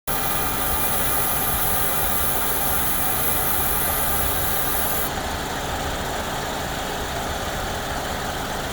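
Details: 2014 Ford Escape 1.6L at idle with a thin high-pitched buzz from the externally controlled variable displacement AC compressor, appearing only after the AC has run a while and pressure has built.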